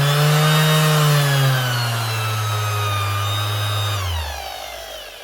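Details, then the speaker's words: Motor hum sags lower over a few seconds, never holding full speed, on a 2021 Makita BO6030 Velcro sander the customer says keeps slowing down; bearings not suspected, fault narrowed down mainly to the speed controller. "Or it could be a speed control. She's gone up and down a little bit there."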